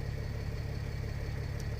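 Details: Mercedes ML320 CDI W164 OM642 diesel after glow plug module replacement, codes cleared; smooth, even low idle with steady rhythm and no knocks or misses, healthy.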